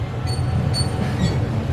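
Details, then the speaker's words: Turbo Ford Falcon, rear suspension while car is bounced: faint high squeaks about every half second over low rumble; suspension squeak, suspected upper arm or spring seat, coil-overs and camber arms also suspected. "the noise I can't isolate it but to me it sounds like it's that upper arm"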